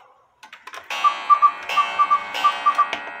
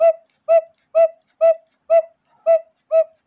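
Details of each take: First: 1908 GK cuckoo-quail clock with count wheel movement: clear whistled calls in quick groups of three, evenly repeated between ticks; normal call, though owner says the quail still isn't fully right and suspects the bellows is not wide enough. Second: 1908 GK railroad cuckoo-quail clock with count wheel movement, original bellows: reedy hoots about two per second, notes faltering and dropping out; weak uneven call, owner suspects the hole position in the case, as covering it stops the cuckoo.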